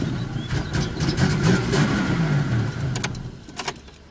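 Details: 2000 Pontiac Bonneville SE won't start: the starter spins the engine in a steady cranking rhythm, but it never catches and runs; cranks but no start.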